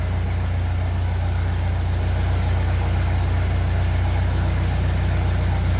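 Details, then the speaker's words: 1957 Ferguson 35 TVO tractor after penetrating oil down the valve guides and a valve clearance reset, started cold on starting fuel before switching to TVO. A smooth, even idle with no tappet ticking; earlier, with the old rocker shaft, it went from quiet like this to loud. "fuel is on so that sounds lovely in quiet it did sound like this before with the last Rock shaft and then it slowly start getting loud"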